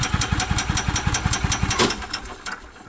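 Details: EZGO golf cart, Kawasaki FJ400 single-cylinder, after new fuel pump, fuel filter and spark plug for cutting out from fuel starvation; belt off, test run: even pops about six a second, easing off smoothly, no misses or backfires; running right.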